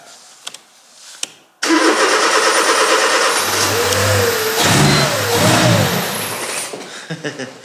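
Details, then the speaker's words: Mercedes-Benz B150 1.5 petrol with intermittent limp mode and hard starting: a few clicks, then catches and runs to fast steady idle only on sprayed brake cleaner, showing no fuel delivery; fuses fine, fuel pump relay suspected; fuel starvation no-start. "If you heard that, that means the car started. So it started with brake cleaner. Martin was spraying the brake cleaner there. There's two things now. We know that fuel is not going in."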